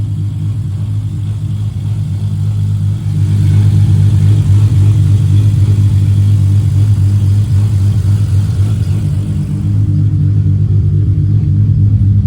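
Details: 1994 Toyota Supra MkIV J-Spec RZ, 6-speed manual, built 1251bhp engine with Precision Gen 2 turbos and a Syvecs ECU, started after sitting a while. Deep, steady exhaust rumble with clean rev blips that rise and fall evenly, no misses or knocks; it free-revs healthily.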